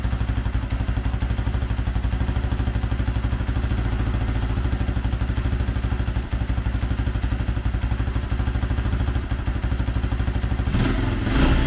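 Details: 2004 Honda CRF80 single-cylinder after complete engine rebuild with big bore kit, first start: steady, even low thump about three beats per second, no knock or rattle; runs well, needs slight idle adjustment, assembly residue burning off.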